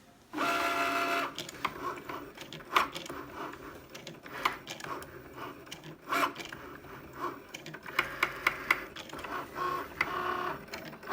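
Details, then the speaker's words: Cricut Maker cutting machine makes a loud knocking noise as its carriage moves back and forth while cutting a card: short whirring motor bursts broken by sharp, irregular knocks. "My machine is making a loud knocking noise. You'll hear it in just a moment when this device moves back and forth. That's the noise."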